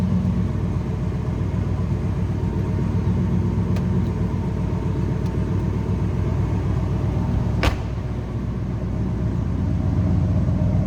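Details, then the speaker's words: 1990 Chevrolet C1500 454 SS with 454 big-block V8 and three-speed automatic, idling: deep, even exhaust rumble with steady burble, no ticking, knocking or misfire; healthy engine. "seeing here that 454 nice little rumble coming out of it"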